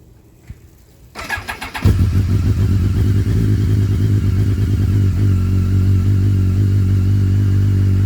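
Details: BMW K1200S starts and settles to a steady idle with a fast, uneven rattle riding over the engine note; cause not evident, engine rattle.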